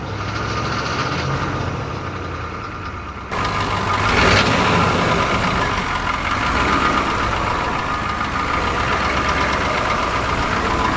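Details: 1986 Chevy diesel squarebody brush rig fire truck, running after sitting stored 5 years, with new batteries: diesel clatter settles into a steady run after a step up in revs, even rhythm throughout; engine sounds healthy.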